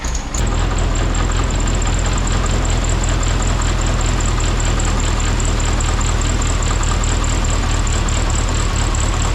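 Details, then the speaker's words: Rebuilt VW Beetle engine with timing set, at fast idle during break-in heat cycles: light, even knock-like ticking with a thin scrape; the cooling fan is rubbing its housing. "It's running pretty good, although our fan is rubbing a little bit and making it sound like a knock, which is driving me nuts."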